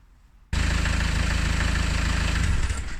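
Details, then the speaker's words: Engine started with the auxiliary drive belt removed: it holds an even, steady diesel beat with no whine or knock. The noise disappears, and the worn automatic tensioner pulley bearing is later found to be the cause; normal running with belt off. "If you remove this and then start your engine, as long as it's safe to do so on your vehicle, then the noise disappears, you know you're definitely in the right area."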